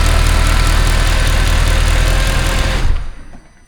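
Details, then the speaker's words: Mercedes C63 AMG, M156 V8, after camshaft adjuster repair and full service (had cold-start rattle and engine light): steady low idle, even firing, no top-end ticking, then shut off; lifters quiet once bled through, engine healthy. "So runs nice, no engine lights, nice and quiet once the lifters have bled through."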